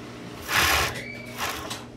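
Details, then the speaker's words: Overlock sewing machine whose motor stalls when the pedal is pressed quickly though power is fine: brief whirring bursts that die away instead of running on; hardened old oil is dragging the mechanism, to be cleaned and replaced with fresh oil. "Sige wala tayong screw na rito per naakyat naman pala matigas na h raw daw umaakyat kung langis Ayay namamatay Anong problema"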